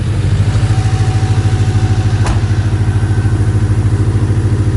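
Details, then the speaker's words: Mazda MX5 engine: heavy steady thumping idle around three beats a second with a clattery edge; engine judged dead and due for replacement. Rough idle, cause not pinned down. "let see if this hole runs again damn this sounds like ass yeah this doesn't sound good at all"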